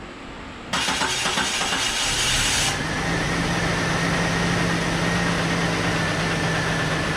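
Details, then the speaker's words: Jeep Cherokee after fitting a new Mopar crank sensor and plugging it in: brief crank, quick catch, then steady even idle, running a little better than before. "It started! It runs a little better too."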